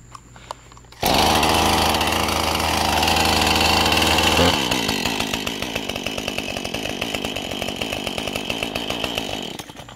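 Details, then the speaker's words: Husqvarna 435 chainsaw with a hot no-start issue, started cold: choke on, then off, and it fires on the first pull, revs up cleanly and settles into an even, steady idle. The primer bulb isn't filling fully; the owner suspects a plugged fuel filter and lean running. "Choke off. See? Fires up just fine cold."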